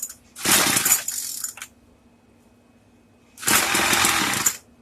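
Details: Craftsman two-stroke weedeater, stored after six months' use and stopped running, after priming, on setting 2: two short rough sputtering bursts that die each time; catches but won't keep running.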